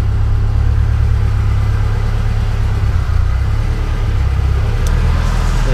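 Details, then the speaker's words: Yeti snowmobile engine on new Link G4+ Thunder ECU, first cold start after about six months, pre-oiled; slow rise and fall in low drone, never settling; idle hunting, no oil light. "have it running hunting around the idol they're a bit no oil light at the stage good sign"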